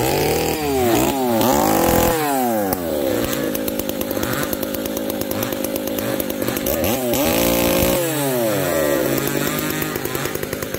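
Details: Two chainsaws (366 and 70-series, alongside Ironhorse 371xp) under cut: revs hunting, sagging and popping instead of clean scream; 366 lean, 70 lean/rich; owners suspect bad fuel, saws wouldn't tune; unconfirmed.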